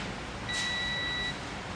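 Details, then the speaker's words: 2013 Hyundai Elantra misfire on cylinder 3, ECU opened; multimeter continuity buzzer gives one steady high beep across the ignition coil 3 driver MOSFET: that MOSFET is shorted, ECU repair/replacement needed. "तो मतलब ये कि हमारा ये जो MOSFET है ये ignition कोयल 3 number, ये जो है ये शॉर्ट है।"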